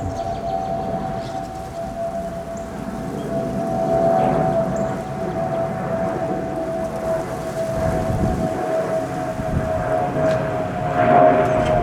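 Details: Spirit Airlines Airbus A320 passing overhead on approach with a steady howling whistle near 650 Hz over jet rumble from the fuel overpressure protector (FOPP) cavity.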